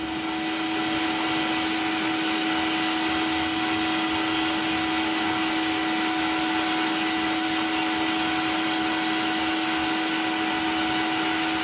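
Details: Cheap blaster cabinet on first test blast of a small metal piece, vacuum extractor on, compressor may cut in, pressure unknown from unreliable gauge: steady loud rushing hiss with constant extractor hum, no surging; blasting normally.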